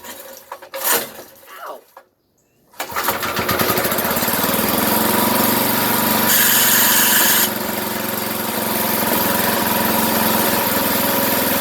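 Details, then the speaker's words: 33-year-old single-cylinder yard kart engine, good spark and compression: after a few cranking attempts it catches and settles into a steady, even putter; runs fine, though something burns off the muffler. "Okay, so it runs. Smells a bit funny."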